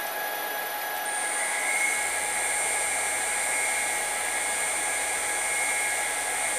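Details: New spindle with VFD on upgraded 6040 CNC stepping up through 5,000 to 15,000 rpm; clean steady whine, no rattle or grind, much quieter than old spindle: normal spindle running.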